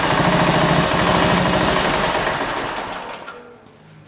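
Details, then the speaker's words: Racing lawnmower single-cylinder engine on test fire after frame welding: fast, fairly even firing around three per second that sags and fades out, stalling at low idle; idle needs raising, owner also suspects valves too tight costing idle compression. "apparently gonna actually have to race idle up it didn't like didn't like anything started back up after being run so it needs a little bit of idle adjustment"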